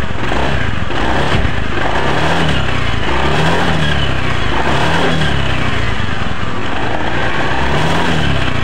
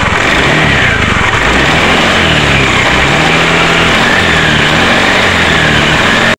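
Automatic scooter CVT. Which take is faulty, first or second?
second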